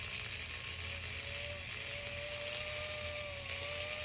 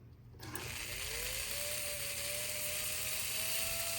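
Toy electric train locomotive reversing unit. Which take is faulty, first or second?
first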